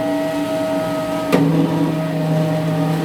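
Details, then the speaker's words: Wall-mounted gas boiler with a new heat exchanger, in heating mode with the pump on first speed: a harsh steady low rumble over the burner roar, from water boiling in the exchanger with too little pump flow. It disappears on second and third speed. "соответственно появление этого звука это звука звук теплообменника теплообменника новый поэтому эти звуки связанные с наверно с течением тепл"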